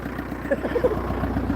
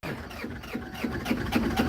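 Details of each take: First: Kia Sedona diesel after cam belt change, first successful start: even diesel clatter at a steady, settled idle with no misses or stumbles, some smoke on startup; engine running cleanly, timing evidently correct. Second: Kia Sedona diesel with intercooler removed, cam belt recently changed: steady starter churning about two and a half beats per second without catching, pause, more cranking; air in the fuel lines, before it finally starts and runs smoking.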